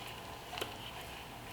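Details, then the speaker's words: GM LQ4 V8 rebuild, crank bearings and rods installed, crank bolt off: crankshaft tapped in and out with a rubber dead blow gives two light metallic clunks about a second apart, normal tight endplay, measured within spec. "I'm within specs, but this is what your crankshaft should be sounding like."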